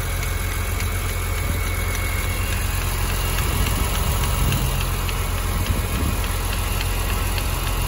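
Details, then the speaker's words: BMW E46 M3 idling after cooling system changes, radiator fan running: steady idle with a faint light clicking roughly four a second over the engine; source of the click unknown. "i've put my hand in the air damn area which is nice look oh something's making a clicky"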